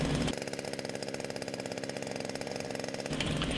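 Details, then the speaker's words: Wick 100G fire pump engine idling after recoil start with choke opened, throttle set to idle for at least a minute to warm up before increasing speed to engage clutch; quiet, even small-engine putter with regular firing pulses, normal warm-up idle. "with the engine now running set the throttle to the idle position for at least a minute to allow the engine to to warm"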